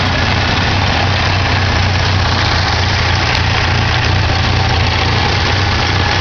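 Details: 1987 Ford Ranger 2.3L four-cylinder started after sitting a while: uneven, loping idle with slight stumbles over a steady low rumble; owner suspects the carburetor needs rebuilding or tuning.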